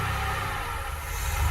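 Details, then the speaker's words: 1982 DeLorean DMC-12 5-speed on a cold start, idling with serious hunting and a heavy, uneven low-frequency drone underneath; the cause of the odd low-end rumble is unclear. "so there's some serious hunting going on there [Applause] and i don't know what that low end sound is though that that just sounds"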